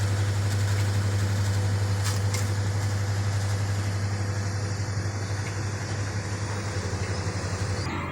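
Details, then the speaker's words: Samsung WA10F5S3 washing machine repaired for not powering on (rusted panel screws, 12 V now stable): deep steady hum with gentle pulse about three per second in spin-dry, 5 minutes left, no banging; healthy. "ก็เครื่องทำงานปกติแล้วครับตอนนี้กำลังปั่นแห้งอยู่เหลือเวลาอีก5นาที"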